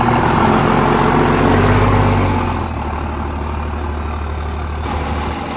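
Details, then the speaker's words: 2001 Cummins dually rebuilt on a 56 block after cracked 53 block, 50hp VCO injectors: deep diesel clatter easing to steady even idle, no knocks or misses; running good. "I've got about I don't know 270 or 80 miles on this thing it's running good"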